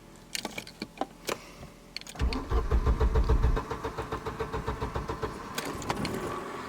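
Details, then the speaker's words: A few clicks, then slow laboured cranking before barely catching on a Mercedes W124 with dual LPG/petrol fuel, run on petrol; hard starting and barely moves on petrol, so it is switched to LPG. "Yes, she barely starts."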